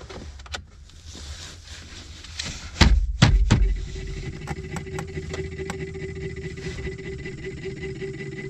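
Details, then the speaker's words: Fiat Qubo heater blower motor, console dismantled: low hum with scratchy rubbing and sharp clacks, then a weak steady whirr; blower seems to drag on something and lacks power, motor suspected dead, cause unconfirmed. "ça fait vraiment le bruit de genre ça tripote un truc tu sais mais il a pas de puissance on dirait vraiment il tripote quelque chose"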